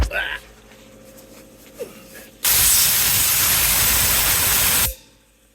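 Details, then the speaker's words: Automatic tank drain on a newly installed shop air compressor, fitted with galvanized pipe, interval set to 30 seconds for testing: sharp hiss of air for about two and a half seconds, then clean cutoff; normal drain blow-off. "you got different adjustments you can say how often you want it to go and how long it will stay open for"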